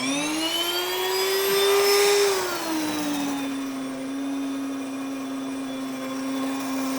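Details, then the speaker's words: Grain mill started empty, then 2 cups red and 1 cup white wheat berries added: steady high motor whine dipping briefly as grain goes in, then settling to an even pitch; normal operation. "Now it is important too that when it comes to your grinder that you turn it on first before you put your wheat berries in. If not, they could get stuck."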